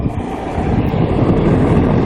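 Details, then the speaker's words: 2007 Trane XB13 3-ton heat pump outdoor unit at about 25°F: a steady low rushing whoosh with no tone or knocking as it changes over into defrost, then cuts out. Normal defrost changeover. "there it is now let's listen this in here it cut out train does that sometimes"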